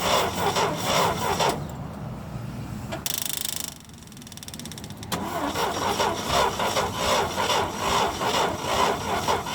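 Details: International Harvester Scout 80 barn find (1961/1964) that sat nearly 20 years, gasoline fed by electric fuel pump from a cup. Starter churns about two to three turns per second with a pause but never catches: crank-no-start.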